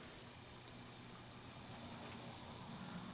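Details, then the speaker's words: 50-year-old motor of a Sears Silvertone 7239 reel-to-reel tape recorder (circa 1967) under restoration, bench-tested in the chassis: quiet even hum with faint steady hiss, a little noise and vibration, no knocks; runs fine for its age. "a little bit of noise, a little bit of vibration. This is a 50-year-old motor."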